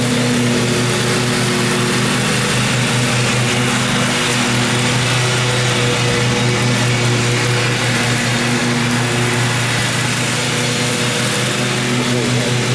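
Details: 2012 Husqvarna riding mower that survived a flood, before it later died from the reverse kill switch: a steady, even low hum with a smooth beat and no misses or knocks, a normal idle.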